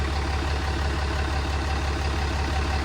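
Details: Ram with 6.7 Cummins diesel, over 680,000 miles, idling after an oil and filter change, no filter leaks: even low diesel clatter about three pulses a second, no misses or knocks; normal warm-up idle.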